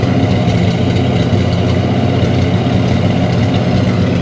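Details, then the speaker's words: Plymouth Roadrunner, sat a couple of days, fresh start: fires right up with no smoke into a steady, even low rumble at high idle, no misses or knocks; normal high idle after start. "There it is. Fires right up, man. No issue. No smoke."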